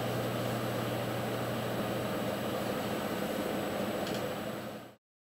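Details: Loud steady whirring hum with a low drone from an Intel CPU cooler fan running hard; cause suspected, not confirmed.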